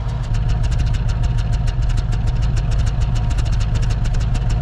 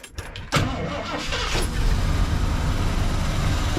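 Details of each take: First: 1979 Ford Ranchero GT V8 that sat 20 years, at idle after test drive: fast-ticking idle with an uneven skip, one or two misfires not consistent, running all eight under load; likely carburetor issue suspected; intermittent idle misfire. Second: 1979 Ford Ranchero GT 302 V8, original-owner car sitting 20 years, after fuel tank drain and fuel pump priming: short crank catches fast, then settles into a steady, even low idle with no misses or knocks; starts and runs normally.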